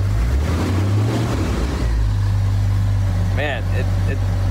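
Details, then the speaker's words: 1991 Jeep Wrangler YJ 4.0, first start after sitting 6 months with fuel tank out: deep loud raw blatty rumble at steady idle, unmuffled because the exhaust is cut off; loud exhaust from disconnected exhaust. "sounds a little shitty because the exhaust is cut off but it sounds awesome to hear running again"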